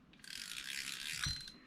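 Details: Vintage Olympic ES-1M spinning reel back together after rescue, with a quick, even run of light, crisp anti-reverse clicks as the pawl rides the ratchet. This is normal, though a missing washer causes a slight chirp from incorrect rotor spacing.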